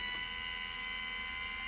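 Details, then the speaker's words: Litter Robot 3 drive motor gearbox, regreased after losing lubrication on first and second gear reductions, run on a standalone battery before reinstalling: steady high whir with slight drag through fresh grease; normal gear noise, earlier rattle-squeal chatter gone. "the noise that you hear the chatter or I shouldn't say the gear noise is normal for this particular gear box notice you do not hear the chattering sound anymore"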